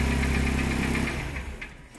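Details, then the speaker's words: K21 engine on LPG, running with scope attached: steady idle for about a second, then firing falters and dies when the main injector connector is pulled; engine stalls, expected to set code E35. "okay ban went away and of course the engine died and the expectation is I'm going to have a code e35"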